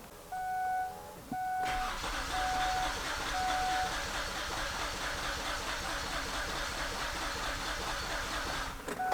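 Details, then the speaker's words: 2006 Kia Sorento with misfire codes P0300, P0301, P0303 and P0305, raw fuel smell and a suspected internal rattle; the starter cranks about seven seconds during a compression test with a slightly uneven rhythm: low compression in two cylinders. "It did sound a little more uneven to me that time. And I think we're actually going to see a a pattern of that here."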